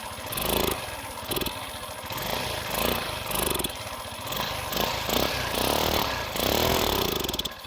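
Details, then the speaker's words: Engine bogs and stalls when throttle is opened, spitting back through the carburettor in ragged popping bursts; black sooty plug shows rich mixture; piston kit, valve, CDI, coil, plug and carb (even body, no accelerator pump) already replaced, exhaust visible in venturi. "мы по-прежнему если накручивать ручки газа до двигатель клюет обратный из карбюратора и"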